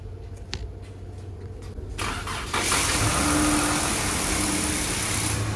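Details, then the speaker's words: 2015 Dodge Charger with the Pentastar V6 and 211,000 miles, check engine light on and oil leaking: cold start after brief cranking, then an even, fast idle with no top-end ticking. No lifter tick; normal idle. "this vehicle does have about 200 um 211,000 miles on it so quite a few and I don't hear pendar tick so that's a plus right there"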